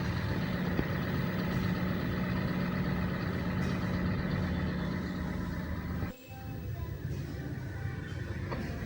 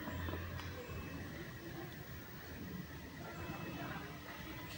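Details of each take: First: Toyota Sienta petrol engine after replacing the weak auto belt tensioner and cracked fan belt, which had caused a rough roaring sound when revved and with AC on; now a steady, even idle hum with no belt squeal, chirp or rattle. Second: Toyota Sienta engine bay, rough snoring noise worst when revving and with AC on: rough rumble from a weakened automatic belt tensioner; tensioner and cracked fan belt replaced.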